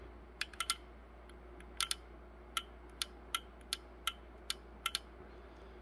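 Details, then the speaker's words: 2013 Ford F-150 XLT with repeated BCM failures after windshield water leak: about a dozen dry clicks as a fuse-box relay switches on and off when battery power is removed during electrical diagnosis. "you can hear a relay click on and off when i take away the battery power"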